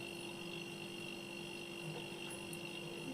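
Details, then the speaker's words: Single-door fridge after repair, back section done: the compressor runs with a quiet, steady, even hum and no knocking, the discharge line is getting warm and the condenser is heating up, so there is no gas issue; normal operation. "और आपको आवाज भी आ रहा होगा देख सकते हैं सुन सकते हैं गुनगुना हट की आवाज आ रही"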